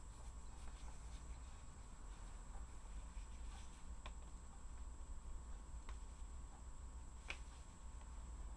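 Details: Pipes knocking inside a wall near a boiler and fridge, recorded 11 Jan 2017 at 22:20: quiet room hum broken by sharp isolated taps a couple of seconds apart.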